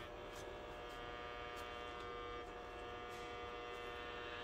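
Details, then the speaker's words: Optoma GT1080 Darbee DLP projector with lamp error, colour wheel index mark fallen off and wheel overheated: steady high whine with faint regular ticking pulse over fan hum and felt vibration; failing, unbalanced colour wheel. "we have some light get ready oof that sounds bad yeah hear the color wheel that's bad so i think we found oh i can feel that vibration"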